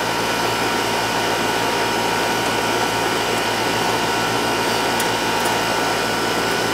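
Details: Outdoor AC condenser for the first floor, compressor about 20 years old, reported running but not cooling; left running to check charge: steady whooshing fan over constant hum, no cycling or knocking; running smoothly.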